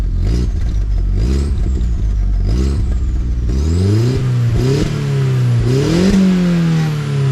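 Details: MK4 VW GTI 1.8T a week after exhaust repair: revs up and down with raspy, puffing edge under the exhaust note; exhaust leak up toward the turbo, suspected downpipe gasket rather than manifold; muffler baffles may also be going bad.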